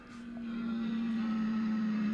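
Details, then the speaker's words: 1946 GE Model 100 AA5 tube radio tuned to 1260: a steady mid-pitched howl holds over the station. Owner blames a bad AGC filter capacitor and plans a full recap; not confirmed. "that's because the agc filter is bad so this thing needs a complete recap so we might as well i'm not going to play with it"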